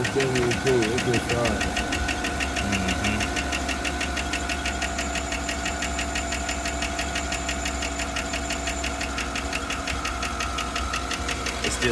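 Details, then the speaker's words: Chevrolet Suburban 5.3 LS V8 at idle after spark plug change and coil swap for a misfire located on cylinder 4: quick steady ticking about three per second over engine hum; lifter tick not yet diagnosed. Engine ticking at idle. "but we found out that the problem is on cylinder 4 but it has not been diagnosed as a lifter tick yet"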